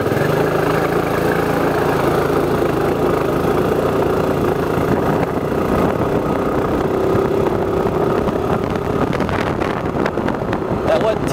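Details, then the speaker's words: 2007 Suzuki Burgman scooter, pull-away from a stop: engine drones at high steady revs while speed barely climbs; CVT clutch slipping on takeoff. "we'll do a takeoff from a complete stop and I'll show you the clutch slippage I don't know if you can see the RPMs but you might be able to hear it as well"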